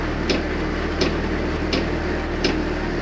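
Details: New Chinese diesel heater, failed two days after install with error code E-08, running on H3 medium setting: sharp even ticks about every 0.7 seconds over a low fan hum, with white smoke and no heat; fuel pump ticking abnormally, cause unclear.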